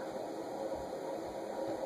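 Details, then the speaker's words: Sears Emerson "Turn of the Century" ceiling fan, model 292.904000, K55 motor, on medium: soft steady whir with a faint rough rustle as the amp meter holds 0.45, occasionally dropping to 0.44; worn motor bearings. "you can hear the bearing noise occasionally dropping to 44"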